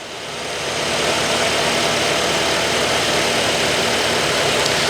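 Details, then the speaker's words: Vehicle engine started during a cranking test with an SP Tools SP61065 electrical system analyzer: catches within a second and settles into an even, steady idle with no knocks or misses; cranking normal, minimum voltage 10.12 V, good. "We're going to walk around and start the motor real quick. All right, it should say RPM detected here in just a second."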